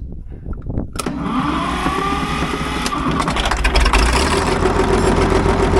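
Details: Caterpillar D6 9U diesel, likely a 24 V system run on one battery and started with the compression release: a rough idle with an uneven knock of about 3–4 beats a second over a low rumble; owner suspects the number 4 injector.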